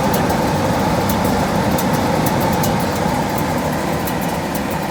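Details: Gas furnace with a newly replaced blower motor rated about 11 amps, fan switch on, door off; steady even fan roar with constant airflow hum, no rubbing, squeal or knocking; normal blower motor running.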